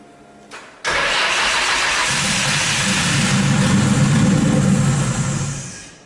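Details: RB26-swapped Subaru WRX after oil cooler and filter relocation, battery reading around 10-11 V: starter spins engine about four beats a second for several seconds without catching; weak battery suspected, new battery tried; crank no start.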